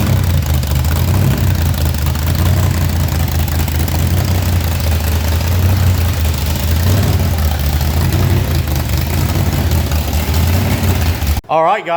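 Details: Homer, the supercharged V8 burnout car, at idle after damage at a burnout event, checked while torque converter bolts were being inspected: heavy, even, lumpy rumble with no blower surge or knocking. The idle is well dialed in, maybe a touch high.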